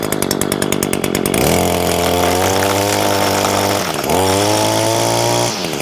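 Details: New Echo SRM225 two-stroke string trimmer, first start after priming with choke on at 100°F ambient, catches after a few pulls and runs steady with a crisp buzz, blipping up and back cleanly; signature Echo sound, healthy running.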